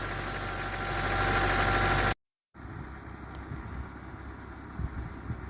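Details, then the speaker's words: BMW 325i after oil filter housing and oil cooler gasket replacement and a new auxiliary belt kit, driven a while: smooth, even idle with a steady low hum and no squeal, chirp or rattle from the belt drive; earlier horrible noise gone. "I taken the car out and they run for a while but as you can hear it sounds very nice now no extra noises anymore"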